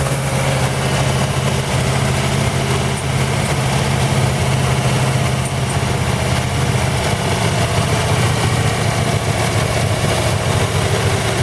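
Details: 1940 Buick straight-eight, first start in 30 years after unsticking the engine and a valve job (leak-down showed good rings): steady, fast low rumble without dips, idling high because the idle adjustment cam rusted stuck; needs idle turned down.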